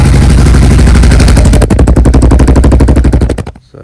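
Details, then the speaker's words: Honda XR600R big single, after freeing the stuck float valve that was overflowing fuel, started stone cold on half choke, fuel tap on and no leak: deep evenly spaced thumps at fast cold idle; runs healthy. "Basically just rambling on here, how got it running, fuel tab's still on, it's not pissing everywhere, so that seemed to have solved the problem for us."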